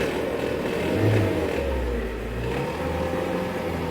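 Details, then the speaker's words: 99 Sonoma parts truck, wrecked, driven through gears (third, then fourth) to test before teardown: smooth engine drone rising and easing with throttle, no knocks, misses or rattles; motor sounds good. "Sounds good. I know that sounds like crap. The motor sounds good."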